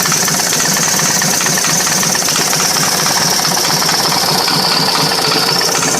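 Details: S&S 80 Evo V-twin at idle: loud, fast, busy clatter over the idle without letup; knock, source unknown.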